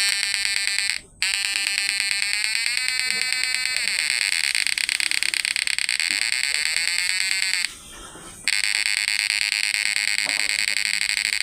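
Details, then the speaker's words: PDC 12 F mini inverter after replacing FDP032N08 MOSFETs with FDP045N10: steady high-pitched electronic whine, even pitch with brief dropouts; PWM and frequency stable, normal inverter output. "Yang penting PWM-nya nih enggak pincang, Guys. Out inverternya itu enggak pincang. Frekuensinya juga enggak pincang normal."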